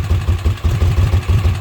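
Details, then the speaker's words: Kawasaki Mule after oil seal replacement: low chugging idle with uneven loping pulses about seven per second, idling on its own but rough; no oil leak. "But it's idling on its own. Not great, but it is idling."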